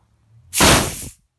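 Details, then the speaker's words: Filling a paintball air bottle from a scuba tank: after the tank valve is closed once pressures equalize, one loud sharp half-second hiss, then silence. This is normal bleeding of residual pressure from the fill line. "I'm just gonna close that valve obviously you still see the pressure there you're gonna hear a loud hiss"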